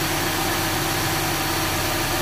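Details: Engine idling with manifold vacuum holding steady around 20 inHg and only slight flutter; smooth, even idle with no stumbles or uneven pulses, sounding like all cylinders fire.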